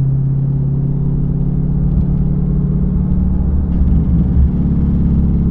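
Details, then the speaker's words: Dodge Hellcat automatic, drives and upshifts fine but makes noise on lift-off: a deep, heavy drone that swells and wavers off throttle and is getting worse. Owner suspects the torque converter; not confirmed. "it sounds like something skipping in the inside it drives perfectly fine it shifts up perfect like perfectly fine but as soon as I let off the gas pedal crazy ass noise"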